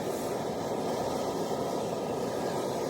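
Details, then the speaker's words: Full isobutane canister on a camp stove at -6°C, at max setting: a soft, thin, steady hiss as cold isobutane starves the flame, much weaker than the MSR or all-season camp fuel. "can already hear it's at its max setting. It's not doing half as good as this. Both of these are full cans. So you can hear it. Definitely not doing as good as the MSR or the all season camp fuel."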